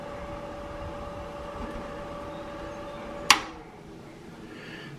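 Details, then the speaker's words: Mr. Heater Big Buddy propane heater, battery blower running on four D batteries: small fan hums at a steady, even pitch with no rattle or grinding, then a sharp click; blower running normally. "it's hard to get them in the blower you can hear the blower running"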